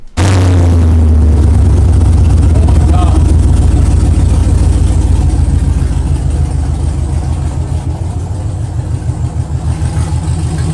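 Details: 2022 Chevrolet Camaro LT1 V8, 10-speed, just fitted with BBK long-tube headers, first start, code P0171 lean bank 1: idle with steady low knock-like rattle from a loose heat shield clamp on the secondary cats.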